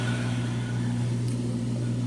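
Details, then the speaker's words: Amana front-load washer in diagnostic mode: drain pump cycling on and off with a steady low hum while the drum tumbles to check load balance before spinning; normal drain pump operation. "So right now, you hear the pump cycling on and off, and then once after that, the washer should start spinning."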